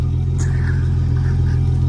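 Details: Turbo 331 small-block Ford Foxbody Mustang, 67 mm turbo, Holley, after sitting unrun a long while: deep lumpy uneven rumble at idle, runs rough; owner assumes the Holley lost its tune, unconfirmed.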